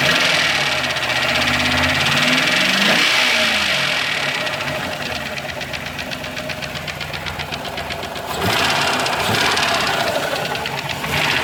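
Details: 2000 Ford Explorer 5.0 V8, just restarted after a fuel pump replacement, had been parked with a bad pump: light, steady ticking about four a second, persisting through brief revs; cause unknown.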